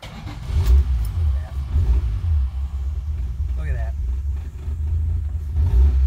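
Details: 1971 Dodge Demon 198 Slant 6 that sat about 30 years, with new fuel filter and fresh gas, started on its own battery without starting fluid: a deep, steady low rumble settles in quickly, no grinding or hesitation; cranks promptly and runs evenly.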